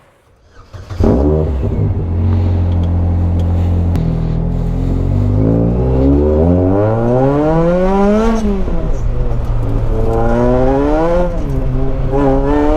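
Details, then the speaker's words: Salvage Ariel Atom, supercharged: engine revs with supercharger whine but pulls flat; bypass valve stuck open like an open blow-off valve, venting all boost instead of sending it to the intake. "It'd be like a blow-off valve just being open, which means it's not sending any of the boost actually to the engine. It's just releasing it all out. So you could hear the supercharger whine, and it was making its noise."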